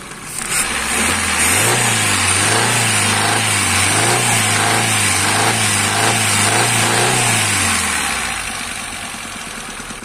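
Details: Kia Picanto petrol engine blipped repeatedly, with a metallic ticking knock rising with the revs; a damaged camshaft is the cause, and a fallen bolt was also found under the cam cover.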